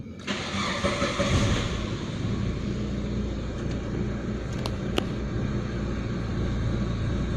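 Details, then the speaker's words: Proton Waja MMC with the returned idle stepper motor, before base timing set: cranks briefly and catches, then fast idle rises and holds steady without hunting; normal cold-start fast idle. "Tengok IP K start 100 aa 1400 1000 a 300. So RPM pun ada naik dekat sini."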